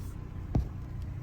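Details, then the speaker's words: 2003 Chevy Trailblazer LTZ 4x4 4.2 I6 after new valve cover and intake manifold gaskets, plugs and coils, fixing oil leak and P0305 cylinder 5 misfire: steady idle at about 600 rpm, no fluctuation; normal idle. "so now it seems to idle great look where it's at it's at about 600 rpm i don't know what the spec is but it's not moving it's not fluctuating it's idling nice"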